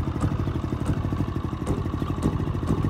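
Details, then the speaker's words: Brand-new Generac iQ3500 inverter generator, about two hours old, hot engine, economy off, producing no voltage: chugging with an uneven lumpy beat and low clatter, stumbling instead of idling; rough running, owner says it's running really rich. "running really rich the chunk is not on its own right it's locked into place is definitely unwrapped"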